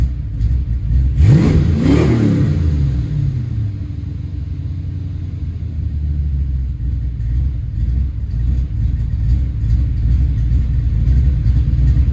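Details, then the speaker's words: Ford Foxbody Mustang, 302 V8 with B303 cam, 3.73 gears, T5, first start after sitting since about 2021 (off road since 2007), battery fitted, starter solenoid crossed: sharp rev blip then steady lumpy cammed idle, no misses or knocks; sounds pretty good still. "But sounds pretty good. good still."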